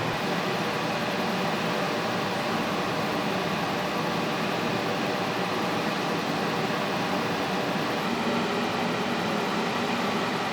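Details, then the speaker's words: Cryptocurrency mining farm with huge cooling fans, right under apartment windows: a constant rushing drone, unchanging in pitch and level, running day and night; steady airflow noise with no fault heard. "Если вы думаете, что я накрутил звук, то вот я стою возле камеры, и вот мой голос слышно так. А так слышны эти огромные вентиляторы."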